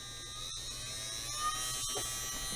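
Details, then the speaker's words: KAIWEETS KEH01 mini heat gun's 12 V DC fan motor fed about 8 V directly: high, steady buzzing whine at constant pitch, spinning close to its maximum speed. "8 в и уже по звуку он крутится где-то около своих максимальных оборотов больше экспериментировать не буду"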